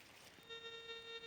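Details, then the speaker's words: Monero Lejyoner induction-balance metal detector, coil held 5 cm off the ground while the threshold knob is opened: a steady buzzing tone like a bee comes in and holds. The threshold is set too high and needs backing off slightly. "Bakın bu tresol sesi düzgün gelmiyor ise bir makin bakın arı vızıltısı gibi geliyor bu sesi az bir şey geriye getirdiniz kıstın cihazınız şu an kullanmaya hazır"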